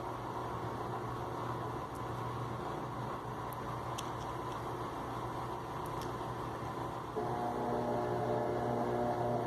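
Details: Electrolux LTE12 washing machine entering high spin: rushing drum noise that grows louder with a rough whirring edge; attributed to a faulty injector arm, not the ratchet or gearbox cover; grinding noise during spin.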